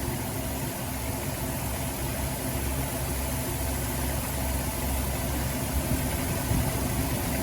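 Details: Dodge Grand Caravan after water pump replacement (old pump leaked onto belt, failed bearing caused belt squeal) and fresh coolant: steady even idle, smooth low rumble, no squeal or chirp; healthy.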